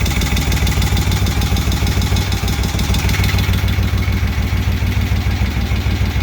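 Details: Freshly rebuilt 1971 Moto Guzzi Ambassador 750 V-twin, slightly warm after an oil change, started on enrichers (choke): steady even low thump, no misses or odd knocks; settles right down, smooth healthy idle.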